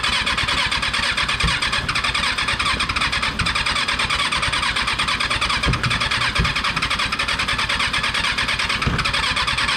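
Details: Rebuilt Kawasaki 636 engine, first start attempt after install: fast, ragged cranking with a few sharp sputtering pops that never catch; hard starting, sputters but won't run, seems to need more throttle.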